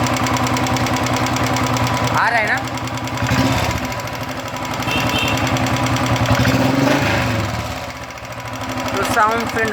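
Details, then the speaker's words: Royal Enfield Bullet 350 Electra, single cylinder, after cleaning the oil passages: light tick about three times a second over a lumpy idle, rising and falling with engine speed and quieter than before; loose valve tappets remain. "देखते हैं क्या है जो टक टक टक टक टक आवाज आ रहा है इसमें इंजन के साथ अगर इंजन फास्ट कर रहे है तो फास्ट आवाज आ रहा है स्लो कर रहे तोलो आवाज आ रहा है"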